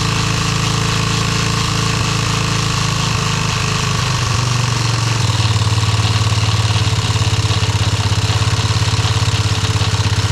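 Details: Yamaha restoration engine idling with brand-new carburetor just installed: low idle runs unevenly, beat wandering and stumbling; rough idle, carb needs adjusting.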